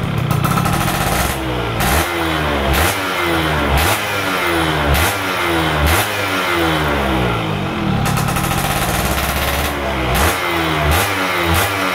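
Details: Stock F1ZR two-stroke during a wet carburetor tune: with the air screw at about 2.5 turns out, repeated blips rise cleanly to the top-end scream and drop back to idle without hesitation; normal revving.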